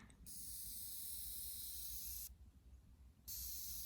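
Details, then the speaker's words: Ozone generator running inside a car on top of the console at level four of four, steady high hiss that briefly cuts out then resumes; normal operation producing ozone. "it's making like a hissing and it is now pushing out ozone"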